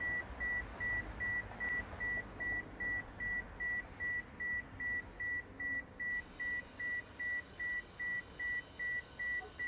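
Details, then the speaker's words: 2013 Toyota Camry Hybrid with ABS codes C1451, C1345, C1368, during scan-tool brake bleed and accumulator pressure steps: ABS actuator beeps steadily about 2.5 times a second during a bleed step; ABS bleed-mode beeping. "we had the same step before before we didn't have the sound the beeping going to wait for the beep to go off and then hit continue"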